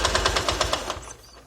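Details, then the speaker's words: Honda Titan 150 motorcycle with original Honda cylinder, previously run without the oil pump feeding the top end, piston replaced: sharp fast ticking about nine a second from the top end only under load in first gear, then fading; cause unknown. "Ela fica um tec-tec enjoado. Você escutar, ó. O barulho vem de cima."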